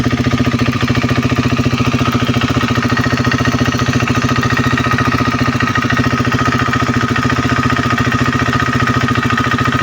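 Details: KTM Duke 390 V2 at a steady single-cylinder idle with an even, light clicking. It comes from the solenoid-operated purge valve on the EVAP canister line to the throttle body, not from the engine head. Normal purge valve ticking.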